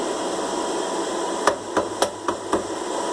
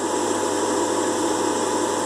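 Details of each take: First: Air fryer running with a steady fan whir, a faint tone and short bursts of sharp knocks. The fan motor is likely loose because one of the three screws that stabilize it is missing. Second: Air fryer after repair of a missing motor-mount screw and broken rubber stabilizer that had fallen into the fan and caused a strange noise: steady even fan whir with no rattle or scraping; runs normally.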